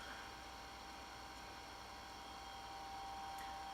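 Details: IBM PS/2 Model 70 Type 8570 powered on with a network card installed: a steady fan whir and faint hard-disk whine, with no beep and no video. CMOS battery reads 1.7 V instead of 6 V; cause not confirmed.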